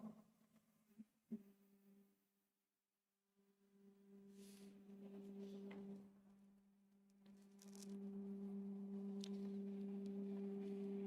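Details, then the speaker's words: New Creality K1C 3D printer on first power-up running resonance calibration: steady, loud pure low hum with a higher overtone held several seconds; loud tonal hum is the calibration routine. "it's very noisy I don't understand why it's so noisy oh probably shouldn't do that during residance"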